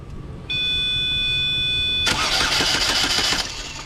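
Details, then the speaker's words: 2011 Chevrolet Malibu that shut down at a stop sign and won't crank. With the start wire jumped directly, the starter spins the engine briskly and evenly after a chime, so the starter is not the problem. The check engine light is not coming on. "All right. So, that's proof it's not a starter issue."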